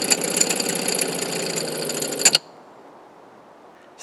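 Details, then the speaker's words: Water pump in 1990 Fleetwood Bounder Class A motorhome: rapid harsh buzzing chatter, stops, then kicks back in; clicking, grinding, no longer pumping well, getting ready to fail and being replaced. "yeah that pump is making some weird clicking noises that it shouldn't be making sometimes it's pretty bad that wasn't too bad but sometimes it's it sounds like a little grinder"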